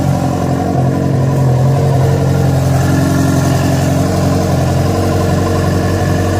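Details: Yamaha FZ6 four-cylinder started after riding about 70 km on two cylinders from a failed ignition coil connector: steady running with an uneven, throbbing undertone on the exhaust note; abnormal engine noise, cause unclear.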